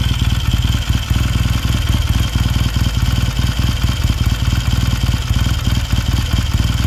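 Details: 1969 Triumph T100C twin after rebuild, started cold with one kick: steady, even low idle thump with light valve clatter on top and no misfires or knocks; normal idle.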